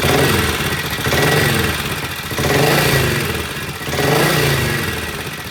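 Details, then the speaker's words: Vintage British motorcycle that would not idle the day before, now with a new Boyer mag pickup and the loose exhaust pipe sealed with aluminum tape to stop air leaks: steady single-cylinder-style idle with gentle swells, no misses or stalling; idling cleanly. "Okay, yesterday this bike would not idle. Today it sounds really, really good."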